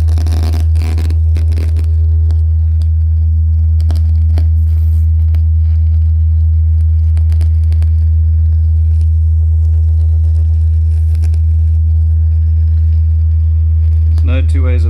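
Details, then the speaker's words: JBL Charge 2 Plus speaker, opened for testing: a deep steady test tone with irregular crackles and sharp ticks from the first driver, its lead wire tapping the diaphragm on large excursions; speaker driver crackling from lead wire touching diaphragm. "definitely crackling from this first speaker yep remove the little driver and I don't feel anything scratching inside there when you press it down"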